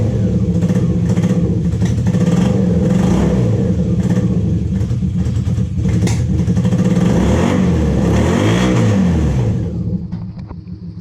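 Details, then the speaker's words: 1986–87 Honda Super Magna four-cylinder motorcycle that sat in a field about 10 years: lumpy running with revs swinging and stumbling, briefly seeming to hit all four cylinders, then dying out; misfire. "Oh no. It's definitely not happy, but it's starting to clear up a little bit more and more. Starting to hit It sounded like we hit all four cylinders here for a second."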